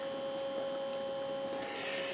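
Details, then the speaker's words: RV range hood exhaust fan running while cooking: even hum with steady mid tone and hissy rush, sounds wrong after restart; fan blade fell off/loose on its shaft. "and it didn't sound right so i turn it off and i turn it back on it still didn't sound right"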